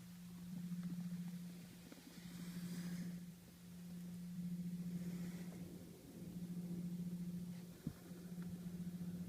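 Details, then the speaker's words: 2012 Camry Hybrid idling in electric mode, heard from inside the cabin, with OPT7 H11 LED low-beam bulbs on: low, steady hum with slow wavering whirr, gone when low beams are off. "Low beam headlights are turned on, and there's this humming sound in the background."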